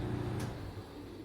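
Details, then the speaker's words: Frigidaire stackable dryer, door switch held in: motor hums steadily at low pitch with no drum tumbling; motor runs but drum doesn't turn, most likely a broken drive belt. "can hear the motor kicking on, nothing's spinning. It's actually a really easy fix."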